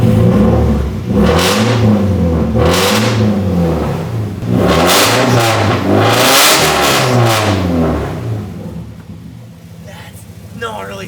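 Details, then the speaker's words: Nissan 240SX petrol engine, very loud exhaust: revs in repeated swells with an intermittent misfire, the pull stumbling now and then under throttle; smoky, slow to warm up; owner suspects old fuel, earlier suspected the PCV. "You can hear it sometimes when I give it gas. It'll misfire like that."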